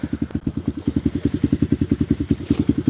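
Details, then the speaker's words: Tao Tao Coleman 125 ATV just started without the choke after sitting for months, on a new 28mm pipe and silencer, with the idle set a bit high. Even exhaust thumps, about ten a second, with a deep throaty note and no skips; a healthy idle while warming up. "So that pipe sounds pretty good. It's got a little throat to it. Once it warms up. Yeah, it sounds pretty good."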